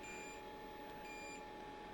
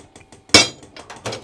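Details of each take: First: Diesel heater newly installed in a shed, fed from a 5-gallon tank, first start without using its priming (PR) mode: quiet steady fan hum with a short beep about once a second, its out-of-diesel error. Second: Diesel heater installed in a shed and fed from a 5-gallon tank, with the dosing pump priming in PR mode (owner assumes it pumps about 500 times rapidly to fill the lines): quick even ticks, about six a second, under one loud metallic clank. Normal priming.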